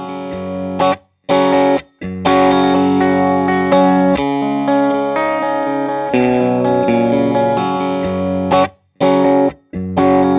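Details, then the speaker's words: 18W Plexi clone tube amp after no-sound repair, miked test cabinet with Eminence Red Fang and Celestion speaker, mic just off cone center, playing a loop: loud clean overdriven chords with no hum or crackle; fixed, running well. "this particular amp has fixed nice output all running well job done"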